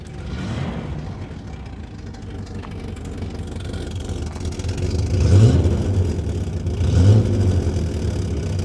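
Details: Garage-find Rover P6 3500 V8 warming up with good oil pressure and a working alternator: rumble picks up cleanly through a couple of blips and settles back smoothly; healthy on the rev.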